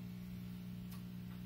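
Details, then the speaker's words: Condensate pump of a small air conditioner running on a warm day, heard in the background of a recording setup: quiet, steady low electrical buzz with no rattle or rhythm, normal operation. "do you call a condensate pump so that's what that buzzing noise is if you can hear it now"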